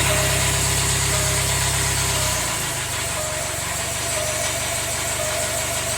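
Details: Jaguar F-Pace 204DTD diesel, self-rebuilt with used polished crank, engine mount just connected: loud coarse idle clatter with uneven pulsing note that deepens partway; rough, owner unsure if normal, suspects exhaust blowing or needs warming up.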